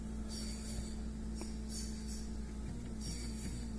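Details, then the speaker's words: 1987 Mercedes-Benz 560SEL, poor heater performance: auxiliary coolant pump drawing ~0.6 A gives steady hum with rhythmic pitch waver; pulsating stops when coolant flow is restricted, stabilising ~650 mA; pump suspected faulty, unconfirmed. "you can hear it pulsating and then when I restrict the coolant flow through it it stops pulsating"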